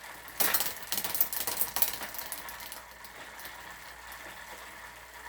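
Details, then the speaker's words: Specialized Hot Rock rear derailleur (new cables, housing, shifter, straightened hanger) after backing off an overset limit: a few light clinks, then a soft, even chain whir with no skipping or grinding. Quiet, smooth drivetrain. "into a spot where it's nice and quiet and so right here it sounds nice and smooth there's no issues"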